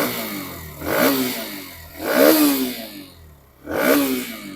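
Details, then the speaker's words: Hero Xtreme 125R motorcycle after a long ride, throttle blipped to check for vibration noise: three clean revs with no buzzing or rattling from the plastic body panels; every part is well fitted. "कहीं से कहीं तक ना plastic नहीं बज रही है इसका मतलब यह है कि हर एक पार्ट ना अच्छे से जुड़ा हुआ है एकदम बढ़िया तरीके से फिक्स्ड है"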